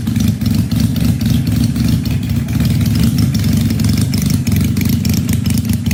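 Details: 1968 Honda CL175 twin with supercharged EFI on E85, 34 degrees in the garage: lumpy but steady low idle, both cylinders firing evenly with no misses; runs right, tune still needs work.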